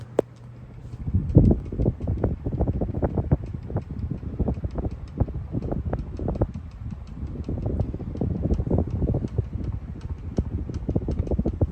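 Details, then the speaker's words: Early Menards spotlight ceiling fan on high with repitched homemade blades, drawing 0.61 A/72.8 W: quick even ticks and soft thumps each turn. Likely from the blades, whose screws were threaded through undersized drilled holes in the wood. "Also, that ticking noise is most likely the blades. We drilled these blades ourselves and the holes were slightly too small, so I had to thread the screws through the flipping wood"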